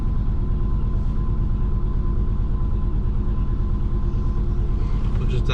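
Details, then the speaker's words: Twin-turbo Subaru Forester just re-flashed for 1300 injectors, first start: lumpy, uneven loping idle as if running on three cylinders; misfire. "kind of sounds like it's running on three it's gonna sound mean"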